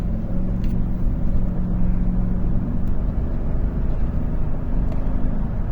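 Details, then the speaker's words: 2015 Chevrolet Tahoe after misfire P0300 repair, check engine light off: even engine drone pulling steadily under acceleration with road rumble, no stumbles; now running normally. "Se ve ya ella desarrollando bien, corriendo bien, gracias al Señor."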